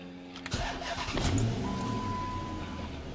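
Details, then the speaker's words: Car started after installing a Jet Power Control Module performance chip and reconnecting the battery: short crank, catches cleanly, smooth steady idle with no misses and no check engine light; normal start and idle. "And it looks good, guys. Sounds good, running good. No check engine lights."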